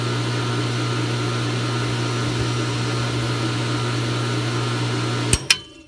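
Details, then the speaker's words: Goulds deep well pump after replacing Square D pressure switch contacts damaged by arcing (previous 14 gauge supply wire, 10 gauge now): steady motor hum, then two sharp clicks as the switch opens and it winds down; cycling normally while watering the garden. "uh but got it back together you can hear it's running out watering in the garden so it's cycling on"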